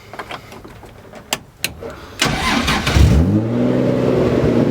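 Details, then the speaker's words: 2JZ-swapped Nissan S14 with new full exhaust, startup after fixing misfire and mid-RPM breakup (pin 76 cut on harness): brief cranking, clean catch, settled steady idle with no misses; runs well now. "And it runs so good now. Like, I'll rev it for you, and it just runs so good. It's fixed."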